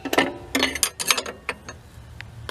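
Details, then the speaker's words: 1999 Ford Ranger rear drum brakes with new 10-inch shoes, drums and wheel cylinders: uneven sharp metallic clicks, several in under three seconds, as the star wheel adjuster is turned by hand until it gets tough, before bleeding. "While you're doing that, you're turning the thing. I'm just going to turn it till it starts to get a little tough."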